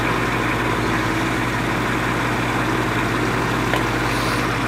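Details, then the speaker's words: 1950s Patton 18-inch High Velocity fan, 3.2 A GE shaded-pole single-bearing motor, hot, slowing, drawing normal current: low strained hum, well below speed with an uneven drone; the bearing is seized, with the shaft binding in tight end-cap bearings. "it is slowing down as we speak it's not drawing any more current than it's supposed to"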